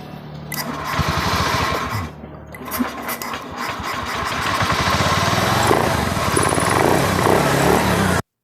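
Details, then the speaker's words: Honda Beat scooter whose ignition spark cut out after 5–10 seconds, fixed by repairing a broken wire; it now catches after a few tries and settles into a steady, even idle. "Sudah bisa hidup."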